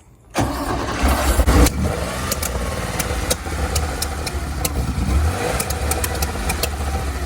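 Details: 1970 Porsche 911, Zenith 40 TIN carburetors, air cleaner top off, valve adjustment about 500 miles earlier: cranks and catches, then idles unevenly and won't hold idle, sharp irregular pops backfiring through the carbs; idle circuits suspected.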